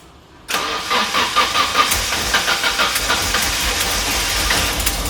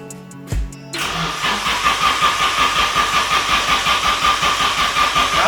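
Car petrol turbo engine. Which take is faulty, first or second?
second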